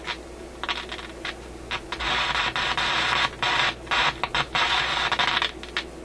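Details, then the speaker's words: Canadian General Electric KM-5 vacuum tube radio: irregular bursts of harsh crackle and hiss over quiet hum, persisting with volume turned down; fault appears centred in audio output circuits; intermittent crackling. "that's interesting the volume turned down you still get the noise"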